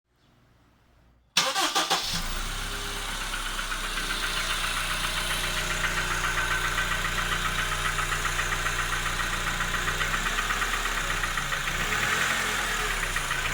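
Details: Honda K20A engine: cranks and catches, then idles with an even tapping about four times a second over the hum; knock source unclear, suspected piston or hydraulic lifter.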